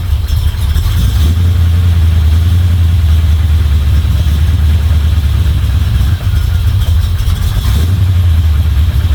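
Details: Chevy 350 small-block V8 in a Toyota Land Cruiser HJ75 Troopy, after refitting rocker cover, chasing a valvetrain tick: deep even idle with steady low rumble, no misses or ticking; sounds pretty good.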